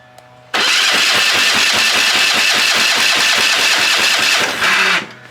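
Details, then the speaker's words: Dusty, long-sitting military surplus Hatz 1B20 diesel pressure washer on starting fluid, cold and not warmed up, injectors possibly needing cleaning: catches and chugs roughly about five pulses a second for four seconds, then dies; rough running. "it doesn't sound good at all"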